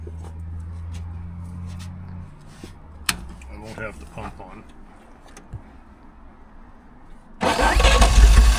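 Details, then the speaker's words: 1938 Chrysler Imperial; owner suspects too much fuel. Starter churns steadily for a couple of seconds, goes quiet, then the engine suddenly catches and roars, running well afterward: long cranking, hard start. "trying. >> Yeah, it's trying hard."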